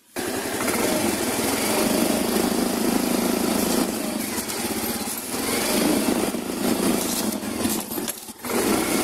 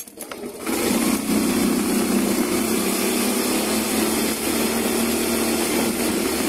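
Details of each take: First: Yamaha Mio i125 scooter engine revving: intermittent loose, buzzy rattle and vibration from the leg shield's side mounting, with worn mounting cushions. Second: Yamaha Mio i125 scooter after the leg shield rattle fix and reassembly, on test run; the engine pulls up to an even, buzzy run with no loose plastic buzzing or rattle, and the panels sound secure.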